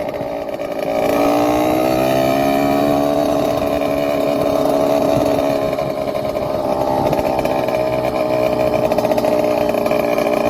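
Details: Motorized bicycle two-stroke with freshly ported 49mm iron-bore cylinder on its first start: fires and keeps running with a buzzy, raspy note rising and falling with throttle; runs normally.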